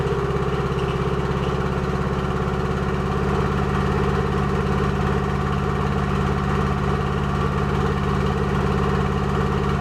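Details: Toyota MR2 at idle: steady idle with uneven, lumpy pulse about 150 times a minute under the drone; possible misfire, cause not confirmed.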